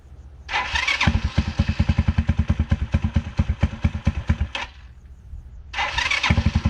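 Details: 2010 Dongfeng DF250RTB 250cc single-cylinder air-cooled motorcycle, sat 10 years, revived: fires into a quick thumping idle near four pulses a second, drops away briefly, then catches again and settles while warming up; idle needs slight adjustment; normal start.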